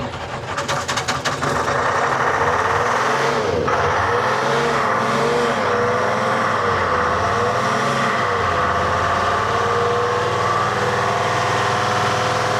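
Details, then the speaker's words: Telehandler with Detroit Diesel 3-53 two-stroke swapped in, suspected algae-contaminated fuel, before spin-on filter conversion: cranks then catches roughly, surging unevenly, needing ether and not wanting to idle; hard starting. "She does not want to idle. Color me impressed. That's actually almost started without ether."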